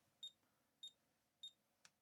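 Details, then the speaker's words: ZX Spectrum Plus with 8.8 V feed: three very quiet high beeps about two-thirds of a second apart over near silence; emitter pin of the audio transistor shows only a tiny ripple, faint speaker beep, transistor suspected. "Just a little tiny ripple every now and then. I think that's the faint beep you can hear."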